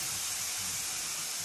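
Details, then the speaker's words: Steam generator iron (Philips PerfectCare 8000 or Calor Pro Express Ultimate+ comparison) in speed mode, sending steam automatically: strong, even hiss for about a second and a half, then clean cut-off; normal automatic steam shot. "alors je vais essayer mode speed du coup pour voir ah oui d'accord mais il envoie vraiment la vapeur tout seul"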